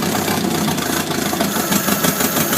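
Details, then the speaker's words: 1972 Atomic 4 marine gasoline engine, ~1,000 hours, 110 psi compression all cylinders, after choke start: steady, even rumble, no knocks or ticks, valves heard working smoothly through exhaust; normal idle. "You can hear it. You can hear by the engine exhaust that the valves are all working rather smooth."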